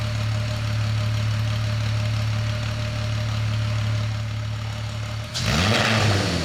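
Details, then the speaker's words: VR6 engine from a 2002.5 6-speed Golf/GTI Mk V, front clip cut off and run outside the car on a drip fuel feed: smooth six-cylinder idle, then a clean quick rev, no knocks or misfires; normal idle and revving. "She's idling down good. It's not unhappy over there at all. Man, this is weird."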